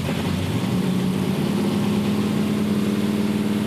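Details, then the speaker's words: 1966 Dodge Coronet V8, off the road 45 years, first start after adding gauges and checking fluids: fires and settles straight into a steady even idle, smooth low drone, no knocks or misses; runs fine. "Hit the ignition, press the button, and let her rip. There we go."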